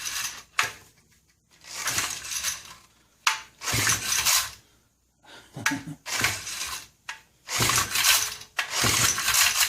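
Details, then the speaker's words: Vintage Honda E300 300-watt generator, probably about 1970, from a swap meet: several sharp recoil-starter pulls with quiet gaps and no firing; no spark seen at the plug, so the ignition points are suspected. "Yeah, I don't see any sparky. And it ain't gonna run without spark."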